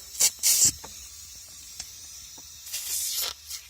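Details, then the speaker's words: Mercedes MB100 OM616 diesel with heavy exhaust smoke, leak-down test under compressed air: sharp pulsing hissing bursts as air escapes past the prechamber seal, leaking mostly at the same spot. "alors vous entendez déjà il fuit il est là"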